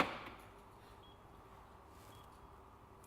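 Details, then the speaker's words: Truck door lock actuation test run through the BCM from a Carman Scan Lite scan tool: one quick clunk, then quiet, as the lock actuators operate normally on command. "We can do all the door locks. So if I press start, which is the F1 key, you can hear it operating."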